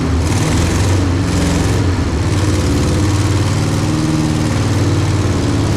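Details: 1964 Peugeot 404, seized engine fully dismantled and rebuilt (pistons freed, block repainted), refitted and started for the first time: steady, even low idle, smooth regular pulse, no knocks or ticks; freshly rebuilt engine idles normally.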